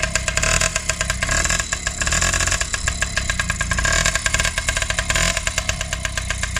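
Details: Freshly rebuilt Honda QR50 two-stroke started outdoors in the yard, oil topped up, little petrol in, new carb fitted: crisp, rapid popping exhaust holding even, blipping up cleanly with throttle; normal two-stroke running.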